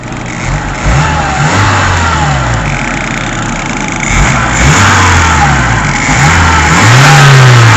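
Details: Fiat Seicento with a thin squeal over idle and revs, rising and falling with engine speed. It was intermittent and worse under electrical load; unchanged after replacing the broken fan belt, now constant after alternator belt adjustment. Owner suspects worn bearings, unconfirmed.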